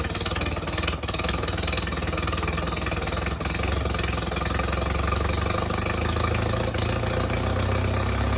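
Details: IH Farmall Super A, started on a little choke after fixing a missing part that left the carburetor with no suction: old tractor engine runs with a steady, even chuff at idle, no misses or knocks; normal idle.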